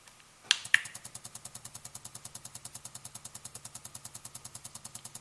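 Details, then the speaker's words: Bissell PowerFresh steam mop pump test on low setting: after the switch clicks, even ticking pulses roughly ten a second stay steady; low should pulse slowly, and the pump pulses properly. "The low should make the pump pulse slowly. The medium should make the pump pulse a faster speed."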